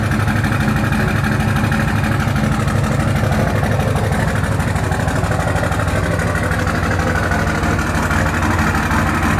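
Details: 2004 Dodge Ram 5.9 Cummins diesel, just started, not warmed up: hard rattly clatter, about three knocks a second, over a deep diesel rumble at cold idle. Owner suspects bad injectors; knock.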